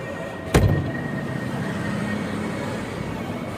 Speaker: guys ada suara aneh di Fajar sport segini nih